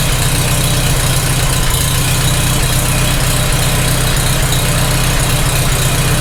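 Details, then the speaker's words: Farmall H tractor engine after first start, mystery knock: loud idle with a faint repeated tap over the engine beat, loudest at a rocker; end-play wedge test with screwdriver didn't stop it, suspected on cylinder 3, cause unconfirmed. "I hear it. It's still there. That rocker is not closing up to the block at all. That's not moving. It actually sounds the loudest right there."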